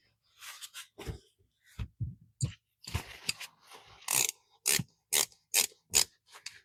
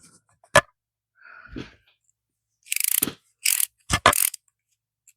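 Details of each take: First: Old Bonney ratchet after a brake-cleaner bath: crisp, evenly spaced clicks in quick bursts with no gritty drag between the teeth; little crud came out, so the pawl is working clean and smooth. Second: Ratchet after a first brake-cleaner spray in a cold 42°F shop: short bursts of quick, rough clicking rather than a crisp, even tick; improved, but crud can still be heard and felt inside, leaving the pawl sticking from internal grime.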